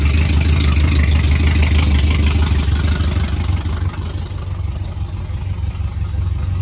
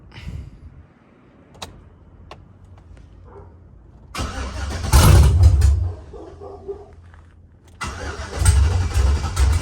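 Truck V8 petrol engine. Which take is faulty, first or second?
first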